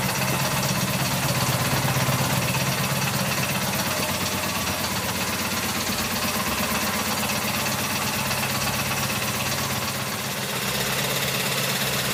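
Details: 1984 Honda VF750F on first start after a starter motor swap: rough, uneven idle with a fast loose clatter, about three per second, from the top end. Cause undetermined; owner suspects cams or badly maladjusted valves. Possibly running very rich.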